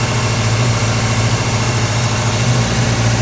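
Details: Volvo 240 with twin Dellorto 45 carburettors, warming up: uneven, lumpy idle stumbling every few firings; cylinder 4 exhaust branch runs colder, possibly a tune or fuelling issue. Misfire at idle, cause not confirmed.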